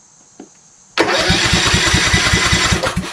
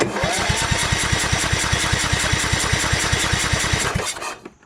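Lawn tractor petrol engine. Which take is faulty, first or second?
second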